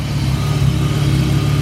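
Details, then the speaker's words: BMW wagon after its misfire was fixed by replacing parts at the curbside: smooth, even low hum with a steady beat and no stumbles or misses, much smoother than before. Normal idle. "Listen how much better that sounds. So much smoother."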